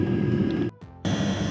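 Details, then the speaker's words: Eberspacher Airtronic D2 diesel heater after service (glow plug, cleaned blocked breather hole, fuel line bled), running a while: steady, even fan and burner hum, no sputtering, surging or smoke; fixed. "okay so the unit has been running for a while now and uh everything looks okay there's no smoke everything's working as it should so i consider this fixed"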